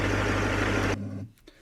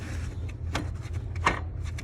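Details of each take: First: 2006 Duramax diesel after replacing three idler/tensioner pulleys and belt, fan off: smooth steady idle with no whir, whine or chirp from the belt drive before shutdown; normal idle after repair. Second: 2006 Duramax diesel idler pulley spun by hand: a dry, gritty rasp about every two-thirds of a second, louder than the other pulleys. This idler caused a variable whirring, whine-like engine noise.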